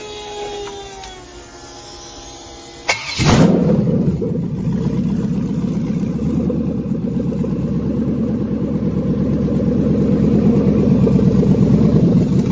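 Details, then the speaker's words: 6.0L LQ4 V8 with 188,000 km, running briefly on an engine stand with no cooling: a short crank, then it fires and settles into a steady, even idle with no misses or knocks. It runs healthy. "there it is there you go Mark 188,000 K 6 L lq4 on the stand wired and fired"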